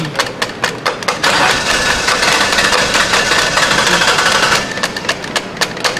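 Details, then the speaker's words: 2006 Ford Taurus with salvage-yard replacement engine, spark and pump confirmed, old fuel: even cranking, then engine catches roughly for a few seconds after tapping stuck-closed fuel injectors and barely keeps running. "oh yeah it's well we're dealing with old fuel for sure it's running now but barely I'm having some difficulty here for sure"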